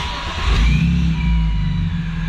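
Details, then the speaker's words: Supercharged M54 2.5i BMW Z3, hesitation on throttle tip-in: the engine note lifts as the throttle opens, then sags and stumbles like it wants to die; cause not yet found. "Yeah. If you can hear that, you press on the gas and it wants to die."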